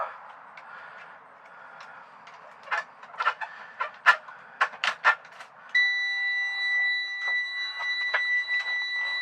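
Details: 2001 Freightliner FL70 CAT diesel, automatic, with broken speedometer and oil pressure gauge needing replacement: clicks and clunks, then a steady high-pitched dash warning buzzer holding continuously at startup; cause unknown.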